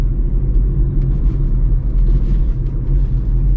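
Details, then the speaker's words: 2007 Hyundai Accent 1.6 petrol, 13 years old, several owners, starts instantly; smooth, even low engine hum while driving, no knocks, ticks or whines, running healthy. "A avut ceva proprietari, dar absolut impecabilă. Pornește la sfert, motorul se aude"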